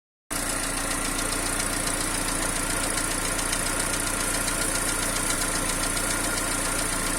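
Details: Peugeot TU5JP4 engine at cold idle: light, fairly quick tapping about three to four a second; knock appears about a minute after start and disappears once warm; cause not confirmed.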